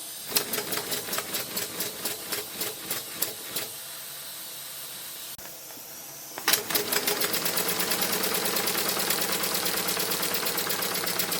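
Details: Maxwell Hemmens Birmingham Dribbler live steam engine under test: steady chuffing about four beats per second with a thin squeak on the strokes. The cylinders lack lubrication since there is no displacement lubricator, and impure water runs through them.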